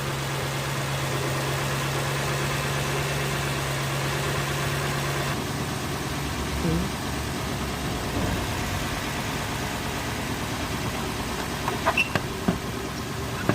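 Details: Lexus 430 after a used surplus starter motor was fitted to cure a no-crank: a steady, even idle hum with no grinding, clicking or stumbling, and the starter disengages cleanly.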